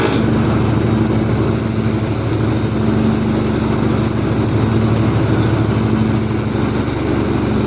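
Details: Husqvarna ride-on mower with the cutting deck engaged, moving or sitting still, blades tightened: steady engine with a rough, uneven metallic grinding underneath; cause unknown.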